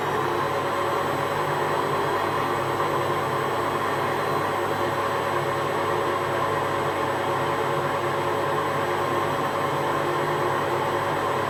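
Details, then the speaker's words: Hotpoint Aquarius Extra WMA40 washing machine on a test wash with the top off: steady loud rushing drone with a gritty hum, no clunks. The drum looks bent; owner suspects worn bearings. "Let's just leave it and see what kind of noise it makes. I've got the top off it as well, so if it's loud it should be even louder."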